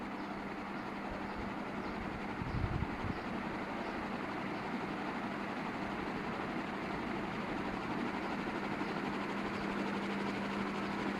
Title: KDK ceiling fan humming sound at low voltage